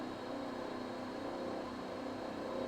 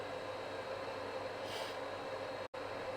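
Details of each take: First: Vaillant boiler at 85–86°C flow, above its roughly 75°C maximum: steady fizzing, crackling kettle-like rumble with a faint high whistle. Kettling, suspected from a blocked heat-exchanger coil; improved after filter debris was removed, and absent on hot water. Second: Vaillant boiler on hot water with reduced tap flow, after debris was removed from a rubber pipe and filter: steady, even hum with no banging, kettling or rattling. The boiler sounds healthy and appears fixed.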